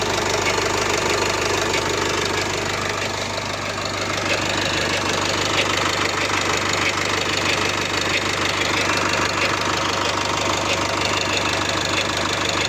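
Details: Nissan M9R diesel at cold start: fast rattling knock about three times a second over loud idle, steady throughout; noise disappears once warmed up, cause unknown.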